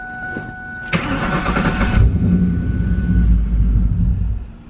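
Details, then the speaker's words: Ford Mustang project car "Turdzilla" on jack stands, first start after replacing a suspected bad fuel filter with the fuel system empty: short cranking, low uneven rumble that never catches; owners suspect air in the line. Cranks but no start. "alright that was to be expected because there could be air in the line let's try it again"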